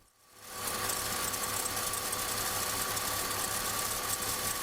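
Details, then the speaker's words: BMW E46 petrol engine idling: steady high squeal, clearer on one side, suspected alternator bearing, though the alternator was installed by the owner and isn't old. "on this side you can hear it even more clearly. Of course, my first thought is the alternator bearing."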